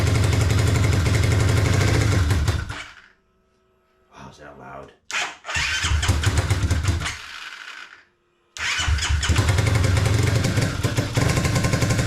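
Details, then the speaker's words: Kawasaki KFX450R after charging low battery and priming fuel pump, enrichment on: single cylinder runs ragged, stalling and restarting with hollow stumble; cam timing correct, exhaust valve won't take 0.10 mm gauge, keeper slipped raising tappet. "let me go ahead and check the uh valve clearances so this exhaust valve I can't even get a 010 millimet in this is way too tigh"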